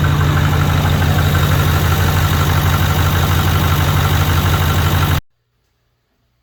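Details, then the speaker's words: Copart farm truck after refilling antifreeze and oil, running an unknown tune from the previous owner, with exhaust being repaired: deep, steady idle with an even low thrum and no misfire or knock, then shutdown. Normal idle, runs really good. "got done with the test run here after i filled up the antifreeze and oil it actually runs really really good"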